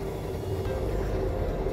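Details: 2013 Chrysler 200 (possibly the 2.4 engine) with a loud engine noise, driven slowly at low rpm into the shop: a steady drone at a fixed mid tone over road rumble; failing alternator pulley bearing, alternator replacement approved.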